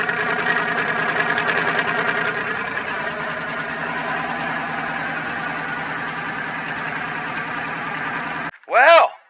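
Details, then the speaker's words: Twin-turbo Dodge truck, started on a freshly charged battery after all vacuum lines were replaced to fix a driver-side leak from turbo to wastegate, not yet tuned: an even, steady idle with a smooth regular pulse and no misses or hissing leaks. Healthy. Smoke is exhaust wrap burning off. "but guys you can see it you've heard it she starts she runs everything is working"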